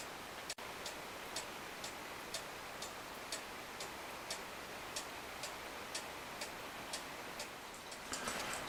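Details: Restored Regula 25 cuckoo clock after cleaning, lift-arm adjustment and weight setting: crisp even ticks about twice a second, quiet background, no skips or limps; movement running in good beat.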